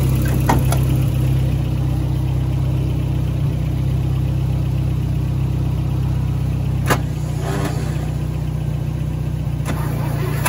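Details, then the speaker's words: 1971 International 1310 grain truck, old farm truck V8 just started after sitting: deep, steady idle with even low rumble, no knocks or misses; sounds healthy and settled. "oh yeah oh yeah sounds good i mean title time blowing all the all the mice out of there"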